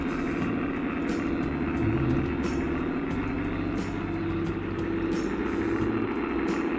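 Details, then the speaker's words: Accucraft Goose #2, roughly 25 years old, on track after the broken drive gear was replaced and the motor oiled, battery possibly a little low: steady motor hum with light clicks about every second and a quarter as it climbs the grade smoothly. "It's a heavy engine, but it did traverse the grade."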